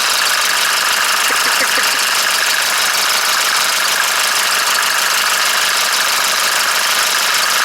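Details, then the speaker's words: Engine 601 diesel started cold with a Lavr engine flush in the oil: fast, light ticking from the top of the engine at idle, suspected hydraulic lifter (tick began after low oil level, stopped when hot). "Вот, мотор остыл, на холодную слышится."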